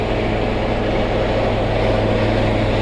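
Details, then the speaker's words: Truck diesel idling while parked on a break, AC running: slow uneven rise and fall in engine speed, a galloping surge at idle. "Can you hear the engine surging? They call it galloping."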